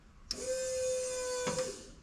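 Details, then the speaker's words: Fuel pump on a ute under test, wired through a temporary relay with the trigger connected straight to the battery: after a click, a clean steady whine for about a second, then another click; pump working, regulator deadheaded so fuel only circulates. "And that's it guys, pump's working."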